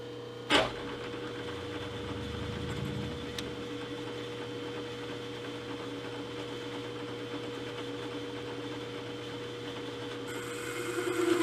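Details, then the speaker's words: 3-inch Banggood R8 boring head with indexable bar, deep cut in a bore: steady mid-pitched hum over rough cutting noise as the tool chatters; the tool feels slightly loose, chatter having loosened it before. "you can hear the chatter not liking that deep of a cut everything's still stiff tool feels just a little loose"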